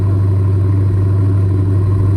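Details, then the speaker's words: Dodge V8, restarted: starts far better, deep even burble with a good stable cold idle, no stumble or misfire. "Yeah, starts 100 times better. Got a good stable idle, cold."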